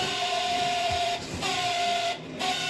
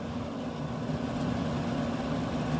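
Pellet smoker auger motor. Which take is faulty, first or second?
first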